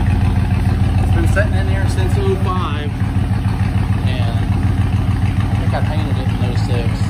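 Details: 1986 Ford F-150 V8 at fast idle after about 15 years sitting and a fuel pump swap, on old gas: deep, steady burble with even pulses, no knocks or misses. Small pipes, maybe not two inch, sound pretty good; normal running.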